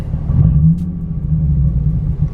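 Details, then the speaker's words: Nissan 350Z idling after a restart: lumpy, uneven idle with irregular low thumps as if firing on only some cylinders; random misfire persists, owner wonders if injector or spark plug. "okay okay it's still doing it could this be an injector or a spark plug i don't know"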